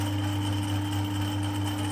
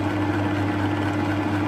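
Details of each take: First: Harrison 140 lathe with 3HP motor, new taperlock pulley (750 to 1000 rpm), new A68 belts: drone with uneven light rattle from the copper clutch plate, its holes worn oversize on the hardened 8mm pins. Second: Harrison 140 lathe with 3HP motor, new taperlock higher-speed pulley (750 to 1000 rpm spindle) and new A68 belts; running noise not horrendous, mainly gearbox and motor hum; clutch plate rattle disappears with clutch engaged; normal running.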